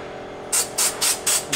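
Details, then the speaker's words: Pivotal Edge 104411 vacuum valve with seal kit 102419-1, air turned on: sharp hissing bursts about four a second as the valve keeps cycling; air leaks past a loosened fitting, or the seal may be damaged. "so check this fitting to see if it's leaking because if it's leaking I'll disconnect it here a little"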